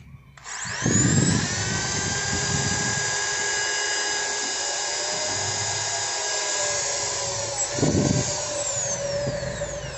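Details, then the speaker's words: Ryota 2010VR 10mm drill fitted with an MT60-type substitute armature after large brush sparking: spins up to steady high whine, even pitch for several seconds, no crackle or stutter; only slight normal sparking, healthy motor. "nah ini dikit banget ya pengapianya kalau segini normal guys yang penting pengapiannya Tidak besar seperti tadi"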